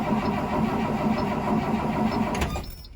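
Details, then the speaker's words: 2003 Blue Bird 3800 school bus with DT466E diesel, cold start at about 11°F, not plugged in, idle about a week: starter cranks evenly at about four per second but it never fires; cranks but won't start before ether is used. "all right not looking too promising I'm going to give her one more shot here"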